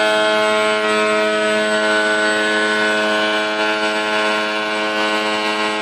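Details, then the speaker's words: F-22 profile RC plane on 3S LiPo via XT60, after ESC/BEC repair attempt: steady, clean high-pitched motor whine holding even tone at high throttle, no roughness or stutter, more power; healthy running, though XT60 connection is loose. "Everything's sounding better. It's feeling better. Everything's still working."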